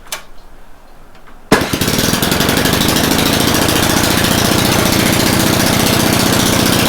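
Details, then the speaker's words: Snowblower with a previous no-start, cold, on full choke: it catches on the first pull and settles into a quick, even popping beat with no stumbling. It is back in working condition, a little smoky in the garage. "little bit of ballet to get that moving but looks like it's back in working condition that's great"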